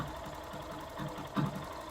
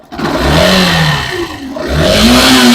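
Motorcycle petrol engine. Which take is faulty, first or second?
second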